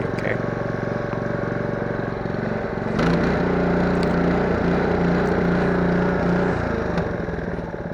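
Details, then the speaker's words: Honda GC160/190 pressure washer engine after valve lash adjustment (gap was too large, causing ticking), plug gap and governor/carb set to about 1500–1600 rpm idle, 3700–3800 top, air filter off: runs smooth low to top end, no top-end ticking; normal running. "so i'm just checking lower end to top end make sure everything's smooth so the valve lash was really uh the gap was really big prior to adjustment and it was making uh tinkering sound so so that's definitely gone after this adjustment"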